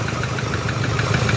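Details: 2007 Toyota Hilux 3.0 diesel idling: hard rhythmic knock about five to six times a second under the clatter; mechanic called it connecting-rod noise, but teardown found burnt head gasket and a seized, melted piston. Piston knock.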